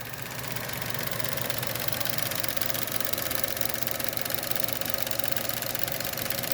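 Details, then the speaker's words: Chevy Cruze 1.4 turbo at idle, microphone close under hood: fast, even light ticking about four per second over idle from old evap purge solenoid, clicking once coolant exceeds 176 degrees; faulty evap purge solenoid. "making a whole bunch of clicking noise after the uh engine coolant temperature gets above 176 degrees it starts doing that on the old one"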